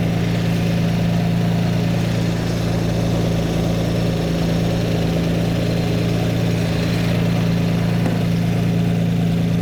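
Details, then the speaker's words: Lamborghini Miura V12, before carburettor tuning: steady low idle with slightly lumpy, uneven beat; listening at each inlet shows one carburettor admitting more air than another, mixture smells very rich; carburettors out of balance. "and again it doesn't sound too bad but it's it's lumpy it's not happy so I'm going to go around each Inlet and listen Okay so this car Beretta is admitting more air than this one"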